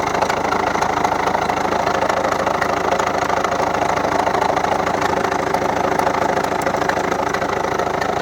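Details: 2011 Volvo V70 1.6D diesel at idle: sharp, steady ticking knock about three per second; second injector from the right flooded with engine oil from a leaking copper sealing washer, knock gone after replacing the washer.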